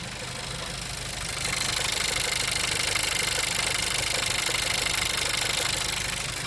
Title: Стук в двигателе Кодиак